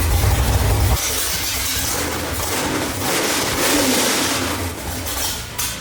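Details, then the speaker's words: 1965 Ford Mustang with 331 stroker V8, run without coolant while distributor timing was being set: uneven loping, chopping idle barely staying running; rough idle from ignition timing adjustment. "That sound of it barely wanting to run and the can chopping like a mother. Uh, that was us dialing the timing."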